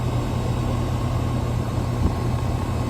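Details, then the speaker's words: Hayward HeatPro pool heater after replacing a failed 80/7.5 µF dual capacitor (fan wouldn't run, LP error): compressor kicks on with a steady low hum and even fan rush, no rattles; normal compressor running. "So all we need now is the compressor to come on in about 4 minutes. All right, so the compressor just kicked on."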